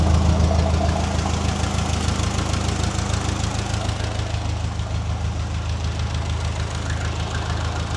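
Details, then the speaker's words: Restored Ferguson TE20 tractor with new ignition, fuel tank and radiator and fresh oil, after fuel bleeding increased flow from a drip to a steady stream: even engine beat around 200 a minute. "Okay, she just turned off. I don't know if it was filming or not when it did it, just like someone hit the key."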